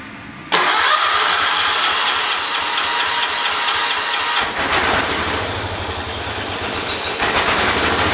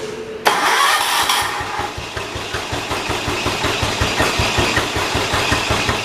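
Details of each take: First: John Deere 212 tractor engine after new carburetor gasket fixed a leak: fires and races to high, strained revs with unsteady dip; won't run unless choked. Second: John Deere 212 tractor single-cylinder after the starting problem was found: catches after brief start, settles into steady even putter at slightly high idle; running fine.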